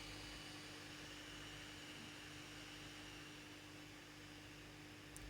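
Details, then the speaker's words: 12 V 50×50×15 mm blower fan for a cold-smoke generator on a PWM speed controller with a 1K variable resistor: steady, even whirr with no squeal or rubbing, running smoothly at full power. "Сейчас я покажу то есть даже по звуку понятно То есть сейчас она работает на полную мощность"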